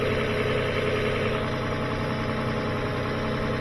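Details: 2007 Lexus ES 350 idling while grounds are checked (no voltage drop), before a charging test: a steady low hum with no knocks, misses or rattles. Normal idle.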